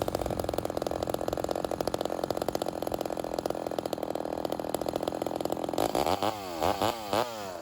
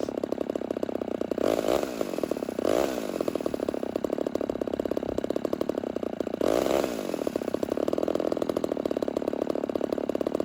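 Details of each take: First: Homelite Super XL 130 vintage chainsaw during carburetor tuning: rapid popcorn-like idle with a few throttle blips, low-speed mixture nearly set; idle checked while tilting the saw on its side for air leaks. Normal idle. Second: Rebuilt vintage Homelite Super XL 130 chainsaw, first start, setting the low-speed mixture at idle: idle sags and nearly stalls as it is leaned out, before being richened to find maximum idle RPM.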